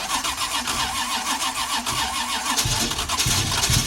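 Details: 1981 Cutlass with a 403 V8, first start in 2–3 years: rough cranking catches into a short burst of firing on fuel primed down the carburetor, then quits. It starts only on prime; the fuel pump is not delivering.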